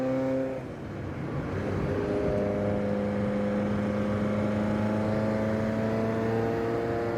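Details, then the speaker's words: Ferrari F40 with a completely different (non-standard) exhaust, started after sitting in storage through winter, run ready for delivery: engine catches and settles into a steady, even run, loud deep sporty exhaust, no knocks or misses; normal start and run. "press the magic button and you can already hear this this one's a lot different it's got a completely different exhaust on it"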